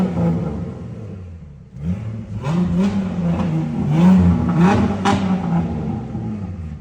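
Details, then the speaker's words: 2006 Ford Mustang with no-crank, no-start and CAN communication error, after both relays and fuses were replaced: engine catches and runs, throttle blips rising and settling smoothly, no knocks or misses. Running normally. "तो माशा्लाह हो गई है start clear हो गई है"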